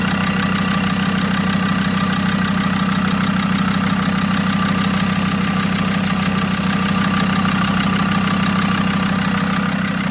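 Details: Abandoned Land Rover Discovery 2 TD5 five-cylinder turbo diesel, first start after being found partly dismantled: steady idle with even, regular clatter, no misses or uneven beats, typical healthy TD5 sound; pulleys reportedly not turning; normal idle.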